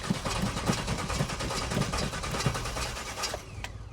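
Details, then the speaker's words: 1991 Chevy Suburban, stock, after off-road track testing and repeated stalling: steady fast cranking, about three turns a second, that never catches; engine won't start, no fuel. "no fuel well we broke it just not in the way we wanted to"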